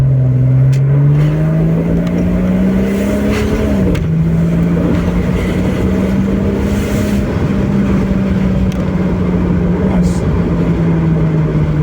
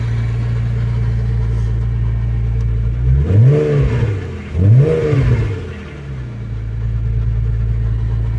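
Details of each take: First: 2001 Porsche 986 Boxster S 3.2 Tiptronic with a pair of 48 mm dB-killer exhaust baffles fitted, driving. The note climbs smoothly, then holds a steady even cruise tone; the drone is eliminated. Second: 2001 Porsche 986 Boxster S 3.2 Tiptronic just started, at idle with no exhaust baffles (dB killers) fitted: a deep, loud burble and two quick throttle blips, with no drone at tick-over; loud exhaust without baffles.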